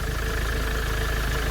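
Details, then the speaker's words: 2007 Ford Transit diesel after repair, customer had said it sounded ready to explode: steady, even idle with deep, smooth rumble, no banging or knocking; battery light off, power steering working, engine sounds healthy. "battery lights off power steering is working it all looks good yeah it looks good"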